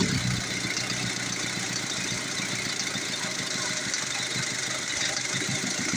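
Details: Old-model Ford diesel that had been hard to start, running after injection pump and injector work: steady, even idle with light clatter, no misfire or hunting; normal healthy idle.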